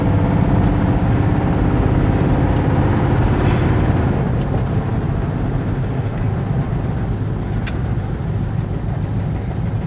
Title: 96 chevy s10 blazer cold start bad injector spider